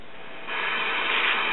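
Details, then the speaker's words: Late-1960s GE solid-state AM clock radio (model C4410A), as found: steady hiss that varies with volume but no stations, so audio output stage works; caused by converter transistor emitter resistor (1.5k) drifted to over 9k. "okay we have noise that varies with the volume control so we know our audio output stage is [Applause] working but no stations so it doesn't work"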